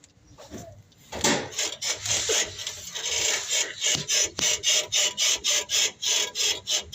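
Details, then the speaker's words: Toyota Hilux suspension bounced, giving rhythmic dry rasping squeaks three or four a second; the owner says the shocks are worn out, clicking and squeaking constantly while driving, and need replacing. "yeah sharks are done so there's clicking all the way when you ride when you drive the car shocks are squeaking all the time so it's time to change the shocks"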